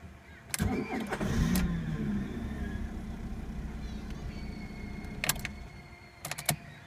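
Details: Fiat Punto MK2 petrol car hard to start: starter grinds in short bursts before the engine catches to a rough idle, then more cranking clicks.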